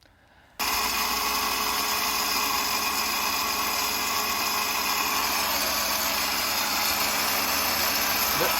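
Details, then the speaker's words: 1994 Saab 900 convertible, car switched off with top down: constant high hissing whir continues unchanged, with a smell; only stopped by disconnecting battery, source unknown; motor running with ignition off. "and so I turned the car off we go into the garage we grab some things and we come back out and it's making this really weird noise"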